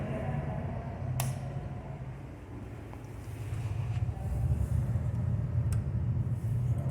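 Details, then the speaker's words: Samsung 11 cu ft refrigerator compressor that won't start gives a low, steady electrical hum with no run-up. The motor seems stuck and the thermal overload trips. Locked compressor. "thermal went off the motor is stuck it feels"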